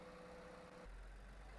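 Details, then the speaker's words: 2018 Infiniti Q50 3.0L twin-turbo V6, first start after timing chain, guides, tensioners and sprocket replacement and oil top-up; quiet, smooth idle with no rattle or chain slap, where loud chain noise was heard before. Normal idle. "All right, that is amazing. Alhamdulillah. Sounds great. Actually, there's no more noise."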